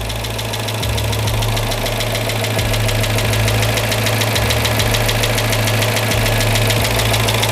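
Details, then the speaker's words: Freshly rebuilt Chrysler Hemi 5.7 V8 in a Chrysler 300, first start, idling with loud fast steady lifter tick from top of engine; expected to go away with heat and miles, later purring. "Again, we have some pretty heavy lifter tick, but I believe that will go away."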